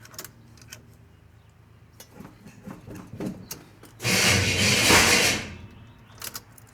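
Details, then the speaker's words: 1986 Chevy C10, new engine, start attempt after carburetor and vacuum line adjustments: harsh one-second grinding rasp; torque converter wrongly spaced out two washers, later fixed. Torque converter noise on start. "Nope. That was not good. Whatever that was. That noise was the converter."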